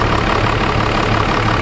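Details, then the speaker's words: Dodge Ram 12-valve Cummins diesel at idle after a cold start on one battery plus a paralleled 7s 2.5V/2600F ultracapacitor pack: a steady, even diesel clatter and low regular rumble with no misses; it sounds healthy. "and then obviously the sounds like it's running just fine"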